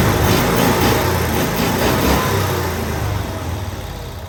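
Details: 1992-ish Cushman Truckster, revived after years sitting in a field, idling after fuel fill: even, regular putter of about four beats a second, steady and fading slightly, no misses; normal smooth idle.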